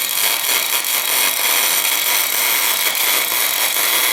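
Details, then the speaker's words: Elsa Supercombinata Compact orbital machine on its first job, working on cast iron: steady high hiss of an even cut with no chatter or screech; sounds good, only slightly less wire suggested. "Du kannst vielleicht noch etwas weniger Draht legen. Ja, hört sich gut an."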